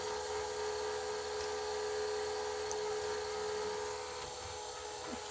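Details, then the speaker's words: 1985 Hitachi VT-63 VCR in play mode: steady high-pitched singing over tape hiss. It is heard only in play, not in fast forward or rewind, pointing to squealing capstan motor bearings. "so maybe i'm wrong about where the bearing is that's squealing"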